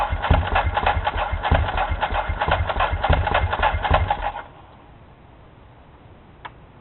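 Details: 2004 Ducati 999 engine fitted into a 1997 748 frame, with the wiring done, new plugs and fresh gas: the starter spins the engine in an even chuffing rhythm of about three compressions a second, but it never fires.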